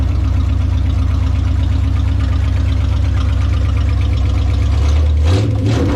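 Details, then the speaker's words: 1969 Plymouth, first start after V8 engine swap: steady even low rumble with regular beat, no misses or knocks; idles on its own without touching the gas. ">> Sounds like it's idling. >> Yeah. Yeah, it's idling. Good. You didn't even hit the gas, did you? >> No, I didn't touch the gas."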